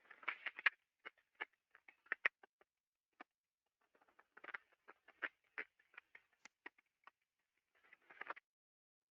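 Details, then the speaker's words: Ultrasound detector recording of a damaged slow-speed rolling bearing, shaft at 14 RPM and inner race at 173 RPM: sharp, uneven crackles and pops in loose clusters. "it's very easy to detect a slow speed pairing okay so this thing was going at 14 RPM and the inner race was at 173 RPM"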